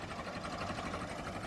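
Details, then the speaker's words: Late-1955 original Farmall Super MTA diesel tractor, idling at about 350–400 rpm, just barely turning over: slow, even soft steady patter at low revs, no knocks or misses; normal idle. "What a tractor. You gotta love the sound of that. Look at that, just barely turning over."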